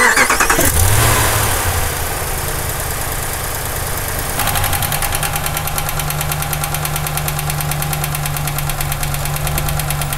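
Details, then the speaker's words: Pickup truck's pushrod V8 at idle the day after an ATF oil treatment for a collapsed lifter, after about 60 miles of hard acceleration: it starts and idles smoothly, and the previous top-end tick is essentially gone. Normal idle. "This is the same truck, and as you can hear, it is not making any more sounds. The tick has pretty much completely gone."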